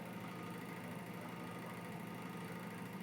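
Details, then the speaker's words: Exhaust fan with fast even buzzing rattle over a steady motor hum, speed unchanged; owner suspects bad bearings, motor or dirty blade, cause uncertain. "it has a real bad rattle to it I don't know if it's the bearings I don't know if it's the motor or the whinings or the blade that hasn't been clean"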